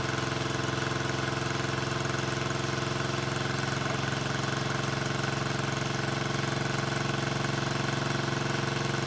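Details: 1974 Honda CB350F four revived after 20+ years sitting: lumpy idle pulsing about four times a second with a hollow, choppy exhaust beat. Only cylinders 2 and 4 fire; the owner suspects fuel rather than ignition, unconfirmed.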